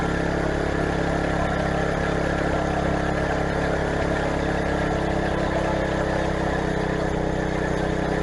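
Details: Craftsman garden tiller test run after replacing the old, tensionless drive belt through the pulleys and tensioner, belt tension handle engaged: steady, even single-cylinder drone with no knocks, slips or squeals under light load. Normal running.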